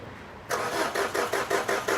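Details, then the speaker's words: Maruti Swift diesel with oil consumption and white smoke, cranked on jump-cable extra battery because own battery is low from repeated cranking: starter churns in labored beats about four per second, never catches; weak starter motor and low battery. "तो गाड़ी में मैंने इसको extra battery लगाई है, jump cable से battery लगाई है, क्योंकि इसकी गाड़ी की जो बैटरी है वो भी लो हो चुकी है, क्योंकि इसमें सेल्फ बहुत ज़्यादा लगे हैं। और गाड़ी का जो सेल्फ होता है स्टार्टिंग मोटर जिसको बोलते हैं वो भी वीक हो चुकी है।"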